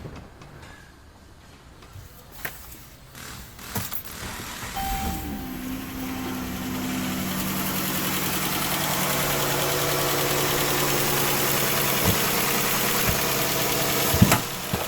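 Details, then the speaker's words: 3.6 Pentastar V6 minivan starting and idling: light quick tick about four per second traced to bank 1, suspected failing rocker arms/lifters not replaced when bank 2 head was renewed. "so guys as you can see yes it is coming from banking wine I'm getting ready to take bank one apart"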